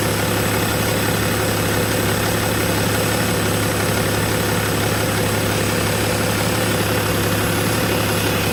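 Steady diesel idle with a loud, constant low drone and a faint hiss on top, no clear knock; a turbo noise is only suspected.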